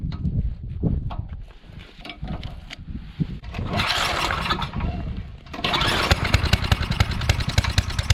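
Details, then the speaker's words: Coleman Powermate 5000 W generator, sat for years, now with fresh oil and gas, a clean-up and a new fuel-line clamp: it catches in uneven bursts, surging and sagging, runs rough and puts out only about 80 V. "okay so for some reason we're not getting full power so yeah on our voltage we're only getting 80 something"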